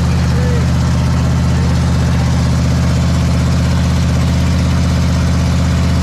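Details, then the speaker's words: Big block Ford 460 in a 1956 F-100 on open headers, running for cam break-in; loud lope at a steady fast idle, even pulses, no ticking or knocking; normal running. "all right that's it on the big block 460 she's fired up we broke the cam in it was giving us a little bit of a struggle but we got her handled"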